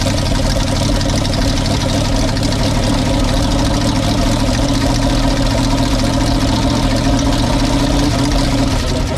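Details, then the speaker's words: Seized Cadillac V8 freshly revived in an airboat, running before warm-up: loud, rough, loping idle with occasional dropped pulses, sounding like one or two cylinders misfiring; suspected to clear up, maybe with new plugs. "it sounds like one or two missing cylinders but maybe they're coming back to life and uh just a few misfires maybe the plugs will take care of that"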